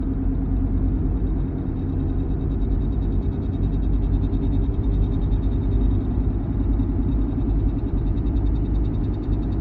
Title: Strange noise from 1-year old Porsche Macan